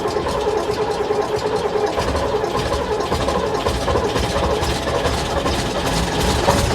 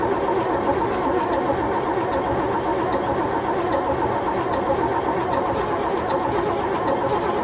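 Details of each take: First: AEC Matador 7.7 litre diesel ("Bernard") on a cold, rainy day, first run after injection pump and injectors overhauled and fitted, fuel system bled; steady, even diesel clatter at fast idle, no knocks or misses, sounds all right; normal running. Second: AEC Matador 7.7 litre diesel, in neutral on a cold day, after overhauled injection pump and injectors refitted: steady slow cranking, no firing; won't start, air in the fuel system since it was apart.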